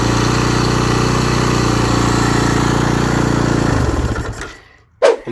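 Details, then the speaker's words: 2009 Husaberg FE 450 single-cylinder after about 30–40 km on its first ride after rebuilding, stationary with clutch pulled: fast, steady idle well above normal tickover that kept creeping higher, then dies when switched off. Idle speed too high. "dass immer mehr und mehr der Standgas wohl recht werden fahren die Kupplung ziehe also im Stehen das ist stand das viel zu hoch dreht das ist mir extrem aufgefallen"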